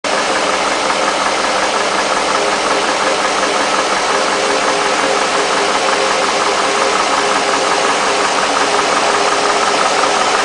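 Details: Mercedes SL60 AMG V8 rough idle, the beat stumbling and surging instead of holding a smooth, steady rhythm.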